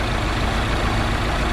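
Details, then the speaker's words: 2009 Mini Cooper Clubman S turbo, 6-speed manual, idling during coil swap tests (coil number one found faulty): rough, lumpy idle with an uneven low thump. Engine still shaking badly; ignition coil misfire. "and the engine's still shaking pretty bad"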